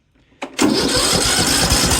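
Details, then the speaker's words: Briggs & Stratton engine on a John Deere LA110 mower, after head gasket repair, catches and runs rough and ragged; sheared flywheel key suspected from undertorqued flywheel nut, engine still spins freely. "I don't believe anything mechanically is bunged up in there. It still spins over freely. I think it's just the key on the flywheel. I must not have torqued down that flywheel nut hard enough."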